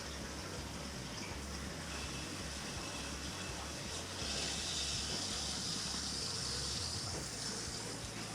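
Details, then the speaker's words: Newly installed Navien NCB 240 boiler at start-up: rushing, gushing water with sputtering air pockets as trapped air is purged from the baseboard heat loop coil. "yeah still got some air in a coil just a final journey for the purging"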